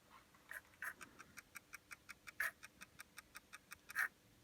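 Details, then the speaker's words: Skeleton Sega Saturn (Derby Stallion) not reading discs, front cover off: light dry ticks about six per second, no spin-up hum; disc not spinning while laser moves up and down. No red light from laser; laser dead. "sk isn't spinning switches engage in the laser because I can hear it going up and down so we're gonna have a look at see what's going on with that laser"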